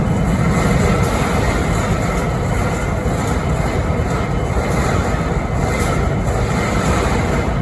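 A steady, heavy diesel idle with a low drone and faint rhythmic pulsing high above it; an odd noise whose cause is unknown.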